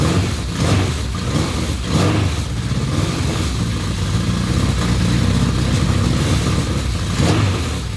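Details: KZ1000P with a Dynatek DS2 ignition pulser replacing the old one to fix rev hang: a steady, deep four-cylinder beat with light throttle blips that settles evenly, running cleanly with no hang or misfire.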